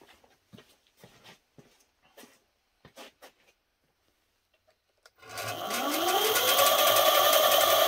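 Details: eZip electric scooter with suspected electrical problems, bench test with throttle clamped and no load: clicks, then the hub motor spins up to a steady, smooth hum, no grinding or knocking, while batteries run down.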